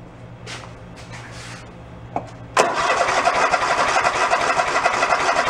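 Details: Toro zero-turn mower sitting ten years, three-quarter tank of fuel: after a quiet spell the starter cranks steadily about four beats a second but the engine never catches; fuel not reaching carb, shutoff suspected.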